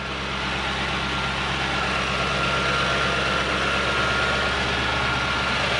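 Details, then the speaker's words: Toyota Soarer / Lexus SC400 1UZ V8 that had been stalling at idle, after repair (bearings redone): starts with a brief flare, then a smooth, steady idle around 1000 rpm with no hunting or surging. "so uh we appear to have a thousand rpm i've not done anything else when it starts it's got a flare which is nice"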